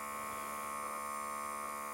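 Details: Second Microlife BP3aq1 monitor, same model, after repair: small compressor hums at a steady, even pitch without stutter or strain, pumping slightly faster than the first unit, with a slightly wider connector; healthy pump filling the cuff.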